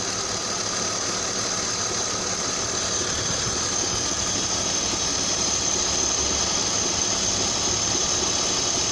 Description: M52B28TU (1999'er 528i E39) macht dumpfe, rhythmische Klopfgeräusche. Ursache?